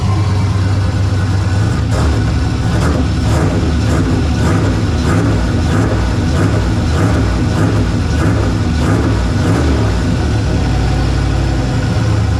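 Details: Turbocharged LS in a Ventura after adding a second Holley 340 LPH in-tank pump (dual-pump Sniper setup), fuel pressure around 60 psi with vacuum hooked up, no leaks: steady, deep, even rumble with no stumbles; healthy, settled idle.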